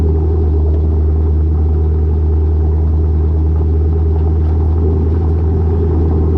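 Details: Lowered car (rear coilovers) with Borla catback, after a header-wrap fix on the over-axle pipe: smooth deep road rumble while driving, with no thuds or knocks; the exhaust no longer hits suspension components.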